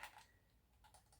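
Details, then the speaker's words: Xbox One S controller after replacing worn rubber conductive button pads: crisp, separate light clicks at an even pace, each press sharp and consistent; buttons clicking and working normally. "you can hear it clicking you know like the others so this should be all right now make sure all your buttons are pressing right"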